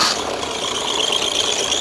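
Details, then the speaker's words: Front-of-engine belt drive scream: steady high-pitched whine over a thin, hissy idle, from an aged, stretched alternator belt slipping while driving accessories; fix is adjusting or replacing the belt, and the tensioner if fitted. "现在这个时候听到的响声就是发电机皮带老化拉长以后的一个尖叫声。这个皮带如果拉长了以后，那么这个皮带在带动那些附件运转的时候，它就会打滑，打滑的时候就会出现这种尖锐的一个响声。"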